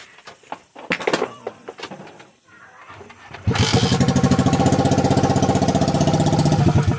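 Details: Honda RS150/Sonic150 after fixing a short circuit (blown fuse, smoking negative terminal), with a new regulator/rectifier; after handling noise it fires first try and settles into a steady, even single-cylinder idle; normal.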